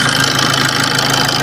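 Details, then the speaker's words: Maruti Suzuki Swift diesel at about 279,000 km idles steadily with smooth, constant clatter and no knocks or chain slap. It runs normally; the only fault was a loose timing chain, and the head and valves are fine. "വണ്ടി working ഒക്കെ operation ഒക്കെ ഓക്കെയാണ് വേറെ കുഴപ്പമൊന്നുമില്ല അത്യാവശ്യം normal വണ്ടി വണ്ടിയുടെ normal sound ഒക്കെ ഉള്ളൂ"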